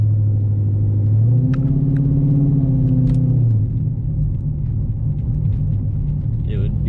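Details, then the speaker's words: 2010 Dodge Challenger R/T 5.7 Hemi with TSP Stage 3 cam, after a revised retune, creeping at low speed while coasting to a stop. Engine note swells and sags over seconds: idle surge persists, seemingly milder than before. "still does it a little bit. It definitely doesn't seem as bad as it was before, but yeah, I don't want to say anything just yet because I can't really tell"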